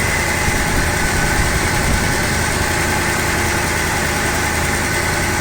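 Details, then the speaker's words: 1988 Dodge Ram D150 pickup idling just after start, fuel filter recently replaced; steady, even idle with smooth low rumble and no knocks, ticks or misses, quiet engine; normal idle. "Voilà, c'est un moteur assez discret, hein, fait pas beaucoup de bruit."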